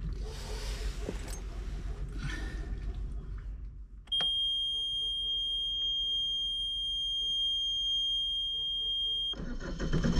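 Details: Marine inboard diesel started the morning after corroded tachometer terminals and the sensor were cleaned. Low, steady rumble under a high panel alarm tone that stops after a few seconds; the engine runs evenly.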